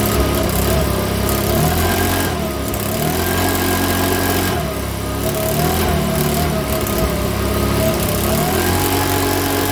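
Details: Makita BHX2500 four-stroke leaf blower after valve clearance adjustment and spark plug check: runs unevenly, speed hunting and stumbling with an irregular beat; rough running, owner reckons it needs a new carburettor.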